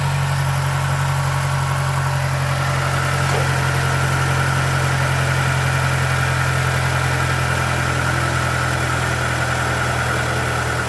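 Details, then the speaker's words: Stock 2009 Mazdaspeed3 that had slight knock and rough idle, just after replacing spark plugs: steady idle, slightly high, smooth low drone with no knocking or ticking; sounds way better. "idling a little high that sounds way better yeah there was no knocking at idle"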